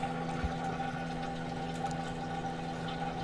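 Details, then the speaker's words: LG front-load washer after drain pump replacement (4681EA2001T), on drain/spin cycle: steady even pump hum with water rushing through, no grinding or rattle; normal drain pump operation. "now we're gonna go straight back to draining spin as you can hear is draining the water"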